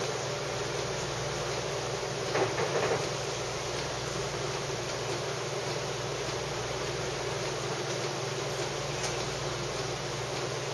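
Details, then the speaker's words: Saeco Syntia super automatic espresso machine with rapid steam boiler, steam wand frothing about 12 oz milk, wand kept at surface drawing air: steady steam hiss with soft gurgle, short sputter midway; normal milk frothing. "it's now whenever you're steeping milk it's a good idea to keep the one right on the surface it will hang drawing a little bit of air to get a nice to get some nice bubbles"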